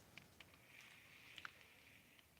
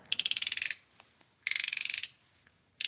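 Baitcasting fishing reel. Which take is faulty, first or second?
first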